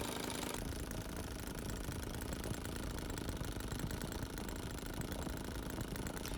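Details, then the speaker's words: Brand-new NGH GT25 25cc two-stroke gas engine for a 1:4 Citabria RC plane, idling on factory mixture screw settings after muffler leak resealed. Fast, steady, crisp idle with no hunting, sagging or rattling. Normal idle. "at this point i've not touched any of the mixture screws and this is just idling on factory settings it's quite a pleasing noise and it sounds like it's going to be a great little motor"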